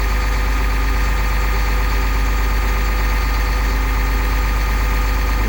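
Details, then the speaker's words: 2001 Cummins 8.3L ISC diesel with CAPS injection in an RV: fast idle set with cruise at 1000 rpm, no codes. Steady even drone with no knocks, misses or hunting. Healthy. "let's go to a fast idle it's pretty cool turn the crews on hit the set puts it at a thousand RPM"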